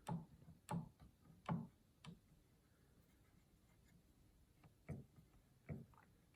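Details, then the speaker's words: Yamaha G5 piano action removed and on a table, keys at the less-worn end: soft, muffled thumps about once a second with hardly any click. Quiet, normal action, unlike the noisy keys near key 37. "Like that one's silent, almost silent. Silent, silent."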